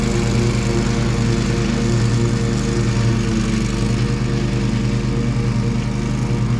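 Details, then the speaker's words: Exmark Pioneer zero-turn mower after deck belt reinstalled (popped off hitting a stick), oil change, service and new air filter: even steady drone under load, constant pitch, no squeal or knock from belt or pulleys; belt stayed on, not warm. "That belt stayed on. Doesn't feel like it's warm or anything. And the pulleys were quiet and everything."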